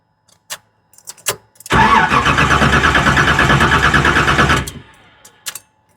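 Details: 1973 Camaro with aftermarket Fitech throttle-body fuel injection, sat nearly two years, main power feed was once wrongly connected to ground; no fuel pump prime, blown fuse suspected. Steady cranking pulses about three per second for three seconds, no firing; crank no-start.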